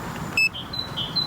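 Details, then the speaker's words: SoFlow Lou Board 3.0 electric skateboard at 5.9 miles in about 2°C windy UK cold: two short high electronic beeps a second apart over wind hiss, the nearly flat battery warning while the board struggles for power. "can hear it just beeping away let me know it's not a happy teddy bear five point nine miles it is properly struggling now"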